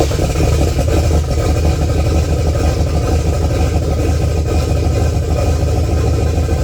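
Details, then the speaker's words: Boosted Pontiac 400 V8 on first start after new rings, bearings and pistons, coolant in, idle raised slightly: steady, deep, even idle with no knocks or ticks at 55 psi oil pressure; normal idle. "Well, it seems to be running good, man. We're at 55 lb of oil pressure."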